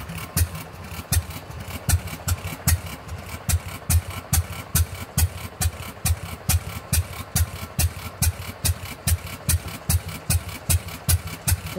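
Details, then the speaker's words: Fairbanks Morse 208 oilfield engine just restarted on a newly installed magneto after 36 hours down: slow single-cylinder beat about two firings a second with sharp regular cracks; a new intermittent banging clang, no visible slop, source unknown. "she as she runs that was new and I just caught that on video what was that noise"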